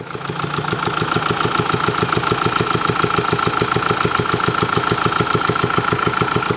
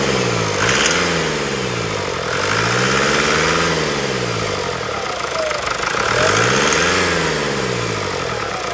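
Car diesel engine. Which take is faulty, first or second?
first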